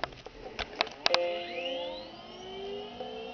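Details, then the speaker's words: Apple Macintosh Classic II (1992, 4MB RAM) normal power-on: a few switch clicks, then a clear startup chime and a soft rising whir as it boots to the Happy Mac and "Welcome to Macintosh". "Chimes, and are loading up the system. Welcome to Macintosh, and before that we saw the Happy Mac."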